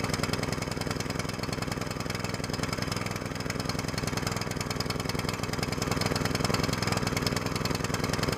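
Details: New small single-cylinder longtail mud motor on 10W-30 break-in oil: fast even popping beat with no knocks or rattles; running cleanly during break-in, rpm varied but never at max throttle.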